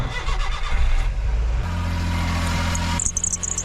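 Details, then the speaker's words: K truck start, oil leaking from a hose partly melted while reheating the engine in a cold snap: uneven cranking then a rough, lumpy catch that briefly holds and cuts out; sounds terrible, cause of rough start unclear. "Oh, that sounds terrible. This hose is where the K truck is bleeding oil. It got melted a little bit when I was trying to reheat the engine during a real cold snap."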